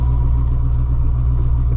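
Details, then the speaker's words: 1993 Corvette ZF 6-speed manual gearbox, idling in neutral after a 10W-60 oil change, clutch disengaged then engaged. Deep steady drone with a thin constant whine above it, no quieter than before; transmission gear whine persists despite fresh oil. "Let's see if this transmission is any quieter. I love how that sounds a little bit messed up. Okay, so right now we have the clutch disengaged. We're in neutral."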